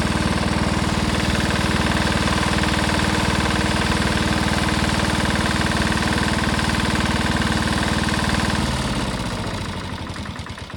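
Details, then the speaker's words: 1970s Sears Suburban SS16 garden tractor swapped to a Lombardini diesel: steady heavy clatter slows and drops off climbing a hill in third gear high, engine bogging under load; owner may raise the rpm. "you could hear it in third gear really bogging third gear High really bogging on that Hill pulled up it in second"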